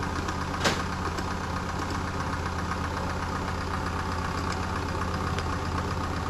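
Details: Medion PC making an abnormal mechanical knocking inside, like a diesel engine: steady low drone with fast, even diesel-like knocking and one sharper knock early on.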